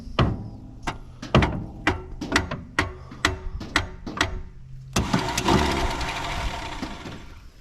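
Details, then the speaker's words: 1963 Mercury Comet, V8 260, first start attempt since about 1995, rat-infested: sharp clacks then a free whirring spin with no cranking rhythm; Bendix won't engage the flywheel, starter must come off. Starter bendix not engaging. "just don't quite jump in there it doesn't that Bendix ain't one to work uh we got to get that starter off"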